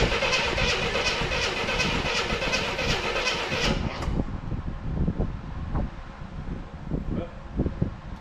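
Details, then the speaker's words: 1984 Chevrolet C10 pickup, inline six, 84k miles, parked since 1993, radiator removed: even cranking for four seconds, no firing; ants found in the distributor, suspected as why it won't fire. "That could be a reason why it doesn't want to fire. That is also a reason why it doesn't want to fire."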